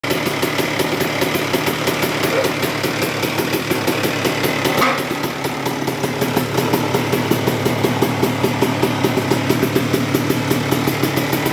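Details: 2002 Honda CR125R two-stroke idling after a new OEM cylinder and top end, with a rough low growl still under the crackle. Worn transmission gears were found. A bad crankshaft main bearing is suspected, and the crank and main bearings are to be replaced next.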